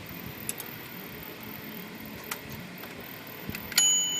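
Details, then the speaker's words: Royal Quiet De Luxe typewriter, dirty, in for cleaning and sticking keys: a few light typing taps then one clear bright ding that fades; margin bell works normally. "Ding, got a dinger, and it works."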